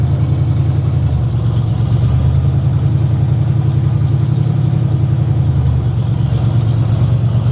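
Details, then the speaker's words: 1960 Chevy Biscayne just got running: a loud, uneven idle lopes with irregular pops and stumbles in the exhaust beat; it runs rough and the cause is not yet pinned down. "yep somehow some way we got it running uh but it's popping sounds bad huh sounds bad way bad"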